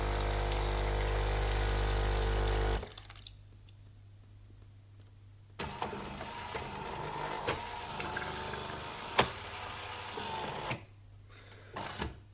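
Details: Saeco Incanto espresso machine leaking heavily underneath: loud pump buzz stops, then a hissing spray runs under the machine as water leaks under pressure at the valve block.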